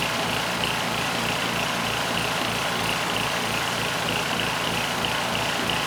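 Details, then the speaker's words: Powermate SX 3250 W generator (PM0123250), choke on, governor spring under-tensioned so it runs slow, target 61.5 Hz: steady hissy drone with faint upper whine and slight pulsing; surging and carb needs cleaning despite the anti-surge spring. "And assuming it starts, it's going to run slow. I didn't put enough spring tension on. So, we'll try to bring that up to 61 and a half hertz."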